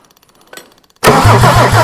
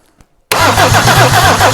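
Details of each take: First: Mercedes OM diesel never run before: faint ticking, then the starter engages on its own with no key turned and the engine cranks and catches into a steady rough idle; starter wiring fault needing work. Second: Mercedes OM diesel that has sat for years and never run, cranking on a bigger battery swapped in: brisk, even cranking at about eight compression pulses a second with no dragging or slowing; strong, healthy cranking.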